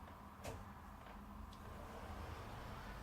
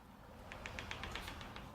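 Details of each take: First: Wardrobe sliding door: slides quietly with only soft bumps. The earlier clicking from a notched upper roller is gone. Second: Newly assembled wardrobe sliding door: quick run of sharp, even clicks as the door rolls, caused by a burr or bump on one top roller, damaged in assembly or defective from the factory.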